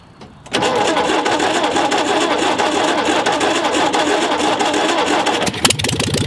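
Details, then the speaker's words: 1958 VW Beetle ragtop, sitting since 1983, with a 36 hp engine (believed not original), cold start with a loose belt. It catches after a short crank and settles into a loud, raw, rapid rattling idle with harsh crackle, running with no muffler. "it needs a muffler but let's uh let's try to fire this thing up"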